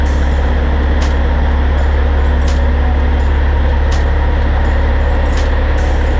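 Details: 2004 Kenworth W900L project truck with CAT C-15 diesel, just started before being brought into the shop: deep, steady idle with even lope, no knocks or misses; healthy normal idle.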